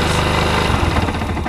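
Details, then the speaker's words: Yamaha YBR 125 single-cylinder motorcycle engine idling with a hard, rapid knocking beneath the exhaust beat; knock appears at idle after revving, and teardown traces it to a worn crankshaft main bearing. "Этот же к нам поступил со стуком двигателя. Стук двигателя на перекладке после перегазовки. Ладно. Мотор застучал, надо вскрывать."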